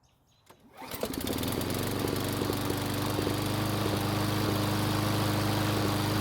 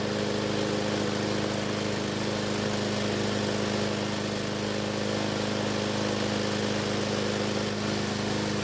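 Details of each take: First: Roughly 20-year-old Craftsman mower after retightening loose head bolts: runs with a slightly uneven, lumpy beat and occasional misses, still sputtering; the loose bolts only caused a small oil leak, owner suspects the carburetor; sputtering when warm. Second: Free Craftsman mower test run on the bench after repair, fuel fed by bottle, started with a drill: small single-cylinder engine holds a steady, even buzz with no misses or surging; runs healthy.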